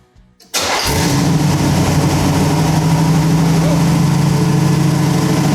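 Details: Carbureted small-block Chevy V8 in So-Cal Speed Shop Roadster, first start after mechanical fuel pump replacement, float bowl already full: quick crank catches at once, strong steady V8 idle with even lope; normal start and idle.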